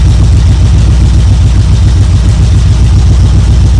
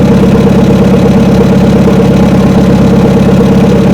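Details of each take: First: 1972 Chevrolet C10 V8 idling evenly after a choke start on a battery charger in about 40° drizzle; it briefly flooded, then ran with good oil pressure, deep steady burble, no knocks or misses, warming up: normal idle. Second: 1972 Chevrolet C10 truck, first start after about 3 months sitting, about 40°F drizzle: chugs at low, uneven idle about two pulses per second, fuel-starved; owner suspects water in the carburetor.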